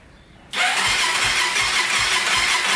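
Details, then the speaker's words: 2001 Honda 400EX on its first start after a rebuild for a loose cam chain and bent valves, with fresh fuel. It settles into a fast idle with light metallic ticking. The cam chain with its manual tensioner needs tightening, and there is also an exhaust leak. "cam chain needs to be a little bit tighter all right we're gonna have to play with the cam chain a little bit because i've got that manual tensioner on there so as soon as the ticking goes away that means we're on the money"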